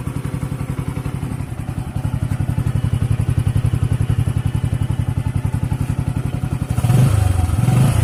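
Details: Bajaj CT 100 ES motorcycle at 4,891 km, demonstrating choke position: steady, even single-cylinder thump at idle with a brief rev near the end; smooth, healthy running.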